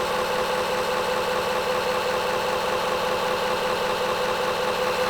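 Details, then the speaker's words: Homemade magnetic drum delay line memory prototype with 3D-printed gears meant to be quieter, drum spun up: loud, even mechanical whir with steady mid-pitched gear tone and fast regular chatter; normal running, still extremely loud. "Okay, so the drum has now spun up, and it's incredibly loud, and it's incredibly scary too."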